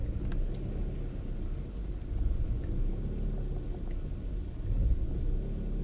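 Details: Opel Astra G 1.6 16V X16XEL warming idle, rumble swelling and sagging every couple of seconds, from choke end until coolant sensor reads 68 °C, lambda sensor ruled out; caused by faulty engine control unit, fixed by replacing it.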